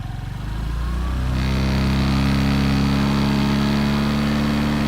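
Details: Honda PCX scooter on its center stand: engine catches and settles into a steady idle with a constant buzzing hum on top; source undetermined.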